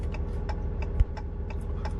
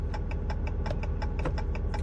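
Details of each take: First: RAM truck idling, turn signal on the working side: even flasher clicks at a normal pace, roughly two per second, over a quiet engine. Normal turn signal flasher rate, unlike the fast-blinking side with the bulb out. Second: RAM truck idling with turn signal on while the right front turn signal, high beam and parking light show as out: quick, even flasher clicks about five or six times a second. Hyperflash from burnt-out bulbs.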